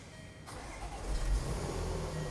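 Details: 2014 Range Rover Supercharged 3.0 with intermittent crank/no-start and start-stall, suspected restraints control module dropping communication: engine catches quickly and settles into a quiet, even low idle that does not falter; this start and idle are normal.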